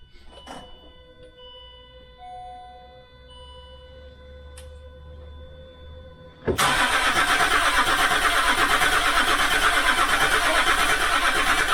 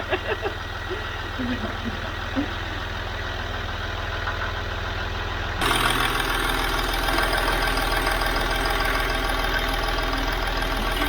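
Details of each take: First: Land Rover Discovery 3 2.7L TDV6 diesel after full engine rebuild, fuel pump relay reconnected and faults cleared; quiet chimes then steady cranking near three beats a second that never fires; no oil pressure on this attempt. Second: Land Rover Discovery 3 / LR3 2.7L TDV6 Lion diesel, first start after a complete engine rebuild, with good oil pressure: even idle with a steady low beat and no knocking, smoothing slightly after a few seconds like a new machine; normal idle.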